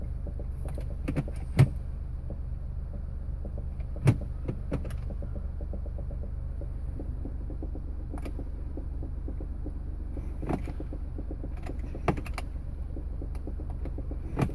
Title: Smart Car 2008 won't start, won't go into gear